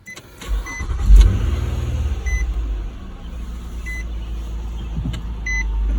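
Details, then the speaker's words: Nissan Murano with push-button start, after battery replacement: brief crank, then it catches on the first try and settles to a smooth, steady idle with a few chime beeps; healthy start. "So at least this time, the car started on the first try."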